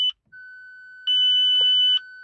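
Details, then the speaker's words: 2005 Audi A6 Avant 2.7 V6 TDI, six-speed manual: several sharp high beeps with steady lower chime between them as the instrument cluster shows multiple fault messages; dashboard warning beeps. "Okay, that are the beepings. Well, there are some errors on the screen as you guys can see."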